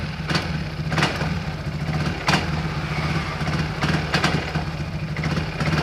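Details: Yamaha X-Max 300 scooter, hard to start and won't idle: engine idles unevenly, low burble broken by irregular stumbles and sharp bursts, before home repair.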